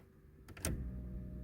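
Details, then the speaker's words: Abandoned Mazda 323 Familia with B6 twin-cam conversion and EFI tank, first start in 5 years; flicking an unknown switch gives a click then a low steady hum, the electric fuel pump priming, confirming the switch feeds the pump. "Yes, I don't know if you guys can hear that. Probably can't, but I can hear the fuel pump running. So I'm going to give it a moment to prime."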